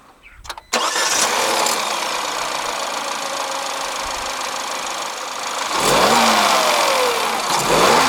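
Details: 2021 Peugeot 3008 Allure, 1.6 THP EP6CDT turbo petrol, 6-speed automatic: catches and settles to a smooth idle, then revs up cleanly and falls back without misses or knocks; healthy free revving.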